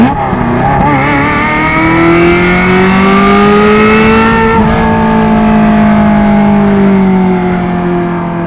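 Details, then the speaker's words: 1994 Euro-spec Ferrari F355 GTS, about 78,000 miles, Capristo exhaust open, high-flow cats, gated 6-speed: high-revving flat-plane V8 howl climbing smoothly through the gears, normal healthy acceleration. "You got the gated 6-speed. You got that flat plane crank just screaming. It's how Ferrari meant for it."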